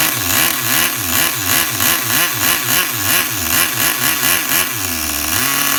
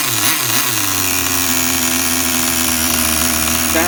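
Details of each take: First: Tamiya TGS-R nitro RC car engine on factory carb settings, started on one pull: tiny buzzy engine loping and surging at a slow, uneven idle before settling; the idle speed is set too low. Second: Tamiya TGS-R nitro RC car engine, carb at factory settings with new fuel: high buzzy blips that drop back to steady, even idle without stumbling; normal running.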